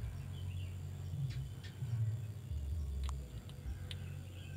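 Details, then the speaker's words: Mitsubishi Colt 120 that is hard to start, starter wired directly from the battery: heavy, uneven low groaning as the engine turns over slowly and really drags without catching; slow cranking, something wrong. "Lur, Lur, it's really dragging, Lur, Lur, there must be something wrong with this, my friends"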